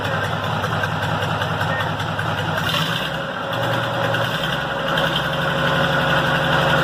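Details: Restored Tata truck diesel, said to be a Benz-derived 1210 engine, cold start; catches quickly and settles into steady rhythmic clatter that firms up as it warms: normal diesel cold start after engine restoration.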